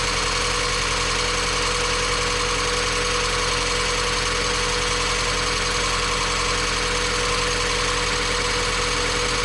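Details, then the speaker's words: Mazda Miata after timing belt, water pump, pulleys, serpentine belts and valve seal replacement, first run not yet fully warm: steady, even idle with a faint light tick over airy hiss; engine runs well, normal idle. "this thing ran perfect it wasn't quite enough time for it to get hot"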